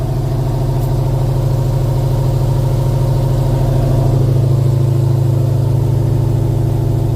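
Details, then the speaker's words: Plymouth with 392 Hemi and 9-inch rear end, driven in gear at light throttle with brand-new wheels and tires: steady engine drone with even pulsing throb, about three beats a second, tire visibly hopping; driveline vibration from bent rear axle. "there's almost you can almost see a hop there you hear it that tire is bouncing these tires are brand new"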